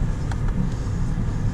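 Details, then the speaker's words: 2011 Hyundai i30 after repairing the steering column knock caused by a failed plastic gear bush: only a low, even running rumble with no clunks or knocks; the steering column is now quiet and normal. "okay we are all together steering column is back up and in um and as you can see noise is completely gone now"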